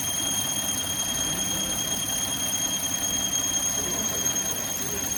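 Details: Car engine running: thin, steady high-pitched squeal from the front belt drive. Cause suspected, not confirmed.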